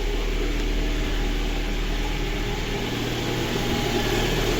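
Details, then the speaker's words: Lada Granta with an overheating complaint, after cylinder head repair, cold idle: a smooth, even beat with a steady low rumble, no misfire, and a quiet head; normal cold idle. "Працює рівно, не троїть. Все чудово. Головка працює тихо."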